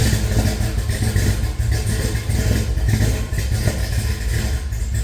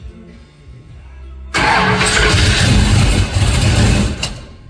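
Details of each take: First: Henry J on first runs with a Sniper EFI, oil-pressure gauge not reading (bad sender connection), oiling checked at number five exhaust rocker: low, steady idle with no ticking or top-end clatter, so it has oil; normal idle. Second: Henry J engine with an out-of-the-box, untuned Sniper EFI and replacement GM HEI module: fires and runs a few seconds with a wavering, lumpy idle, then sags and dies; it needs much more bypass idle air.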